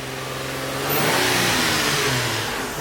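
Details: Freshly built 350Z engine at first start after the motor build, cold with oil pressure at 60: clean revs rising and falling smoothly, crisp and even with no misfire, knock or rattle; healthy.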